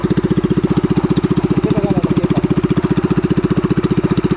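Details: Pressure washer small engine that would not start after heavy rain, now repaired: running smooth and steady at an even firing beat with no misses, knocks or surging; normal running.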